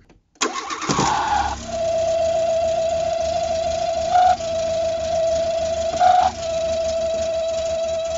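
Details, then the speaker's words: Revived Renault 4 (F4) wreck engine: catches and settles to rough idle under a steady high whistle rising briefly twice; air leak suspected, source not found, carburetion poor, but no mechanical noise and it revs cleanly. "Ce bruit de sifflet là, qu'est-ce que c'est? Je sais pas d'où ça vient. C'est dingue quand même."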